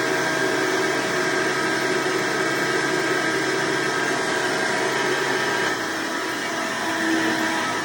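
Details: Hoover Decade Soft & Light Elite vacuum (owned since May 2024), first run after replacing 7-bladed fan impeller with 20-bladed upgrade, bearings greased: steady high-pitched motor whine with airy rush, unwavering; mostly quieter but still a little loud.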